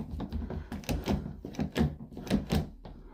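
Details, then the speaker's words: Main house door lock. Several solid, clean clunks and clicks as the handle works, with no scraping or straining; the lock closes with the proper clunk and operates smoothly. "That's the way it should close. You should hear that nice clunk."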